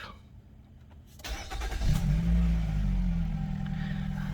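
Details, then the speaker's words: 2013 Renault Koleos Bose at idle after start-up: a faint buzzy rattle over a low hum. The owner thinks all Koleos have this engine rattle, worse with the air conditioning on, with vibration felt inside and through the steering column; source not pinned down. "One thing about this Renault Koleos, I think all of them are a bit they have some kind of rattle in the engine, especially when you use the aircon. So it's a bit of vibration coming inside, and you can feel it on the steering column as well."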